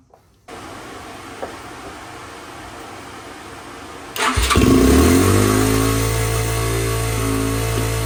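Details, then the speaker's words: 2006 Yamaha TTR-230 single-cylinder, first start after revival with 92 psi compression, choke on, no airbox connected. It catches after a brief crank and settles into a fast, even idle that never drops. Idle set way too high, running rich; carb tuning pending. "I'm glad we know that the engine's actually running uh it seems like it's running on the Richer side and the idle is set way too high so we're going to mess with the tuning of the carburetor once we have the coupler in"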